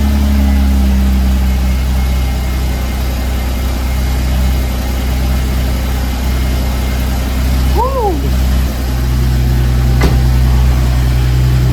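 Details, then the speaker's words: Supercharged Mercedes AMG V6 with upgraded intake, 82mm throttle body, 550cc injectors, 175mm crank pulley and 65mm supercharger pulley, after a few warm starts: engine catches and settles into a steady, even deep idle with no knocks or misses; normal startup. "When we installed everything, I talked to Tony, and he said it just needed a few warm starts before, you know, every startup is going to be normal. So that was a pretty normal startup."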